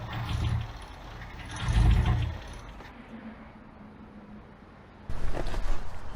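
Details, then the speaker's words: Abandoned Toyota AE86 on a hot day: several short bursts of even starter cranking that never fire or catch; timing then adjusted. "okay it would seem that she's still not happy not on fire so that's a good start"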